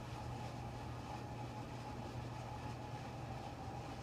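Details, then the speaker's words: Upper oven of a double oven at bake 350, convection fan running and never stopping until cool-down: an abnormal whirring whose pitch wanders up and down over a low hum, unlike the quiet lower oven; repairers twice said it functions properly. "if you hear this noise it's not like a fan running it's a worring sound but it's it's up and down the pitch is all over"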